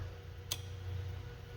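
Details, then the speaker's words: Ryko car wash on-board dryer with non-oscillating flaps, during oscillator test: one sharp relay click over a low steady hum; relay and power to solenoid working, fault suspected at the air solenoid. "so that tells me it's getting power to the solenoid the relay one of those is working"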